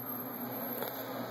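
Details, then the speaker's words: Sony/Vizio VW26L 26" TV that takes about 10 minutes to come on, with flickering screen and no picture: a thin, steady, very high-pitched whine from the back; power supply fault from blown capacitors, later replaced. "But other than that, this is a power supply problem. It means that some capacitors are blown. This is still making really high-pitched noises."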